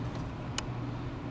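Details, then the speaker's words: 2001 Jeep Grand Cherokee 4.7 V8 with a failing PCM losing communication: under-hood fuse/relay box, auto shutdown and fuel pump relays click on and off about every three-quarters second, along with EVAP purge and leak detection pump solenoids. "right here we've got our auto shutdown relay clicking off and on over here fuel pump relay clicking off and on"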